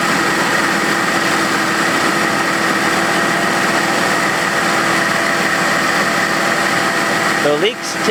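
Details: 1990 Mercedes 300TE M103 engine just after thermostat replacement and coolant refill; steady, even idle with smooth hum, no knocks, misses or squeals; engine sounds healthy.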